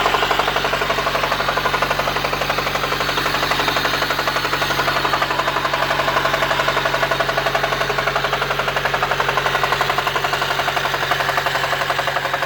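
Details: 1993 Honda Civic EG8 with D16Y1 VTEC swap, oil pressure light stayed on, ticking grew to hard knocking with occasional stalling, oil changed to 5W30: hard regular knock about four per second over rough idle; rod knock suspected, not confirmed.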